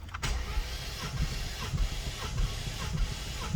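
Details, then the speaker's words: 2019 Mustang GT manual with Vortech supercharger, injectors disconnected for a compression test, cranking on cylinder 2 of bank 1: even starter rhythm with no drag or skips; healthy compression on this cylinder (cylinder 7 was 100 psi low). "Beautiful. Again, it's the amount of times I'm cranking it. That's why I see the variable, but I don't want to crank it too long to get locked out again."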